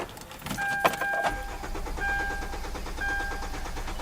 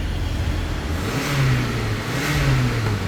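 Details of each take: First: 2010 Hyundai Sonata no-start: brief cranking, then catches into rough run on starting fluid sprayed into air intake, pointing to missing fuel from failed fuel pump. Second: 2010 Hyundai Sonata, earlier a crank-no-start with a dead fuel pump, now starting after the new fuel pump was installed. The engine fires and runs smoothly with a gentle rise and fall in revs, no misses or knocks. Normal running after repair.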